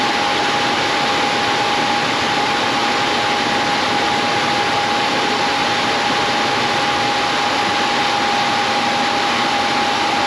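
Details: Coleman Presidential II furnace blower after motor repair (previously sloppy, suspected worn bushings): steady even whoosh and clean hum, no rubbing or knocking; normal blower run.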